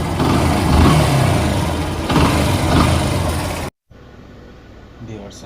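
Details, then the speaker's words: Yamaha FZ Fazer V2 motorcycle engine running: harsh rough clattering through the engine note, then it cuts out; starter one-way clutch behind the magnet/flywheel has broken, a common fault on these bikes. "শুনতে পেলেন যে ইঞ্জিনের কী অবস্থা, ইঞ্জিনের সাউন্ডের এমন একটা বাজে অবস্থা যে ইঞ্জিনের ভিতরে সব ভেঙে চলে যাইতেছে। ঠিক আছে, এই ইয়ামাহা এফজেড ফেজার এই বাইকগুলোর একটা কমন সমস্যা আছে, যেটা হলো যে এটার যে ম্যাগনেট বা ফ্লাই হুইল আছে, এটার পিছনে যে আমাদের সেলফের ওয়ান ওয়ে প্লাস আছে,"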